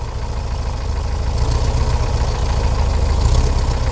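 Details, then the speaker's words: 1968 VW Type 3 Fastback air-cooled flat-four, cold, just reinstalled: fast steady idle that won't settle back down; owner suspects the carburetor linkages and plans to check them and resync the carburetors. "We're not returning the idle properly here. I'm going to have to check the linkages here on the carburetors."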